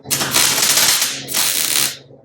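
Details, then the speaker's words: MIG welding a 1956 International rat rod front-end frame with the welder turned down from 17 to 15: short bursts crackle and pop ("backfiring") instead of a smooth sizzle because of much less heat. "Hear how it's backfiring like that? Because it's a lot less heat."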